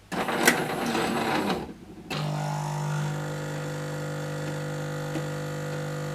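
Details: Jura Z5 coffee machine after rattling-noise repair: short burst of bean grinding, brief pause, then steady even pump hum with no rattle; normal operation.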